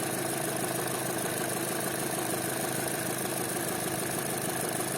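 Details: Chevrolet Cruze 1.8 Ecotec, checked for a noise at startup while cylinder-head oil pressure is measured: steady, even mid-pitched idle hum with no knock or tapping; normal idle.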